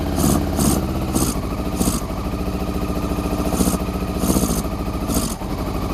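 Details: Honda CBR400RR NC23 four-cylinder, just started on petrol poured down the fuel pipe plus carb spray, water leak: lumpy, uneven loping idle with hollow exhaust, firing only on cylinders one and two; three and four stone cold, not firing.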